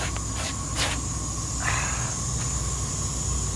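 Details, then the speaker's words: Semi truck idling after rain, truck slowly losing air pressure, heard from outside and underneath: faint steady high hiss over low idle rumble; air leak at electronically controlled air dump/dryer purge valve. "there you guys go this is the air dump valve system of the truck it's all hooked up electronically"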